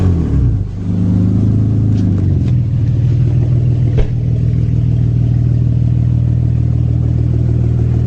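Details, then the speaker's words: Acura 3G TL Type S V6 after rebuild, heads resurfaced and valve job, revved without alternator: rough revving with uneven knocking clatter about three raps a second over low drone; bottom-end knock suspected. "yeah we might have a bottom end issue too sucks but it is what it is"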